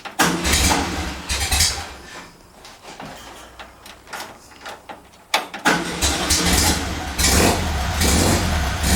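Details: VW engine idling on a rigged temporary petrol tank, with a leaking fuel pump: an uneven, lumpy woofing pulse about once a second over rough running. The knock's cause is unknown and the engine must come out again.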